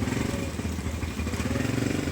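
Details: Barako single-cylinder motorcycle after an engine overhaul that fixed heavy engine clatter: steady, even thumping with no knock or clatter on top, running healthy.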